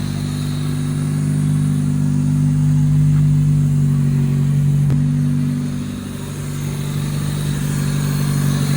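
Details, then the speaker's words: Honda City type 2, petrol, first start after sitting five months, exhaust not yet fitted: steady low motor or pump hum under the idle, unchanged in pitch; owner asks which motor makes this sound, cause unknown. "ಯಾವ motor sound ಇದು ಯಾವ motor sound motor ಯಾವ motor sound ಹಾ ಅದು ಹಿಂಗೇನಾ ಬರೋದು"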